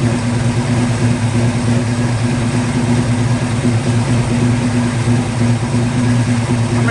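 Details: 1950 Ford F1 truck engine, barn-stored for many years, started with MSD ignition and hardwired fuel pump: settles into a steady low idle firing evenly at about three beats a second, nothing knocking or missing; normal idle.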